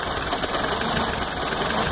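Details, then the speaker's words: Toyota truck just back running after timing chain, oil pump, water pump and exhaust work: loud, lumpy, stumbling idle, rocking and near stalling off throttle, better with a little gas, with steam from under the cap. Owner suspects an exhaust leak. "that sputter is pretty bad wondering if maybe an exhaust leak or something like that could possibly be the culprit and you see I stopped a stop pushing on the gas and now it's like ready to stall out"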